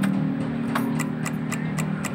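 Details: Honda Vario 110 injection scooter, ignition on: crisp even ticking about four times a second from the fuse box over a low hum; electric starter won't work though kick start runs; relay chattering from weak battery.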